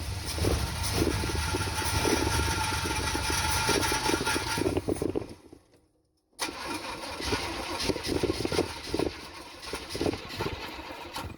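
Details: 1974 Chevy C10, spark confirmed: engine spins on the starter, catches with a few ragged firings, then dies; fuel starvation.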